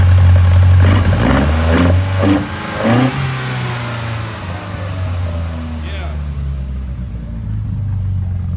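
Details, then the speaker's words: Custom-built Toyota four-cylinder with carburetors, velocity stacks, straight distributor without vacuum advance, throaty cam: several clean throttle blips rising and falling, then a steady deep throaty idle; healthy engine. "Tony actually said, and he's not a Toyota guy or a four-cylinder guy, he said it sounded good for a four-cylinder. And uh you know, revving it up and hearing those um velocity stacks sing is pretty cool. It's got a nice throaty cam sound in the back."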